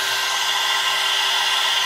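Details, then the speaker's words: Air-cooled 1.5 kW 110 V CNC spindle on a 2.2 kW VFD at its maximum 24,000 rpm, unloaded, after a five-minute run: smooth steady high whine with rushing cooling air, no rattles or wavering; spindle running normally and stable. "so far so it looks good it's pretty stable 24 that's the maximum speed low work now so that's the sound"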